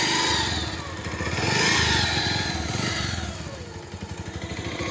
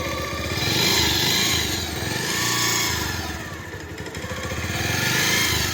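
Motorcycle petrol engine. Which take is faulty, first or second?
first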